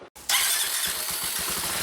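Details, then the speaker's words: Honda CBX125 motorcycle, stationary, revved: harsh hissy rasp over rapid pulsing, strange noise also while riding; abnormal, owner wondered if low fuel was the cause and added fuel, cause not given. "停止してても、エンジン回転数を上げると、変な音がす"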